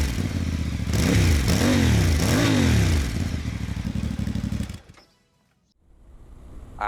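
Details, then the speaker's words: Voge DS800X Rally with a new aftermarket exhaust fitted as a fix for jerky throttle, heat shield removed: engine fires and takes three quick throttle blips with a deep, even burble, no misfire, quieter than the original exhaust; normal running. "But it sounds absolutely wonderful. It's actually not as loud as the original exhaust, which is surprising. However, this is nice. Got a nice little deep burble to it."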